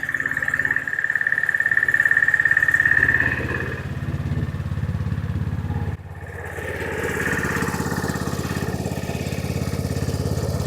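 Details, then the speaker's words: Honda-engined side-by-side after reassembly, idle screw turned down slightly, running in neutral: brisk steady idle sitting noticeably high then easing down; idle set too fast. "let's fire it up in neutral and see how it runs now she's running a little bit on the fast"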